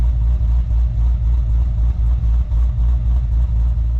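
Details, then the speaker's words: 2014 HSV VF GTS, supercharged LSA V8, 76,000 km: deep, low, slightly lumpy rumble at idle, steady and even with no knocks or ticks; healthy idle. "And of course that rumble of an LS supercharged V8 on idle."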